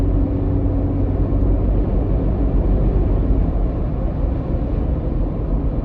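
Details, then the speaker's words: 2021 Ford Bronco hardtop, in cab at 35 mph after adding Sonic Barrier foam sound deadener to the roof seal edges (driver side): only steady low road rumble, no whistle or chatter above the console. "Right now I'm doing 35 miles an hour. I don't hear any more of that whistling coming right above where the console is."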